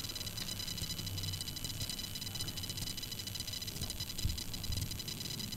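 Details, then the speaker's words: PC speakers through an amplifier with nothing playing: constant crackly hiss with thin high-pitched whine and a low buzz underneath. The owner reports internal computer noise coming through the speakers; cause unknown. "Questo è quello che esce dalle casse senza fare niente Questo è quello che si sente in uscita delle casse"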